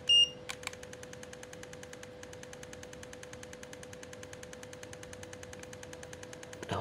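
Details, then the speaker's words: Repaired Godox V850 speedlite, burst-fired after full-power testing, flash-not-firing fault fixed: fast, even train of sharp flash pops with a steady high charging whine behind, every shot firing cleanly; working normally. "Oke sekali teman-teman nih tembak ya pasti keluar Alhamdulillah ya jadi enggak ada lagi permasalahan lampu flash tidak keluar tidak nembak tidak firing"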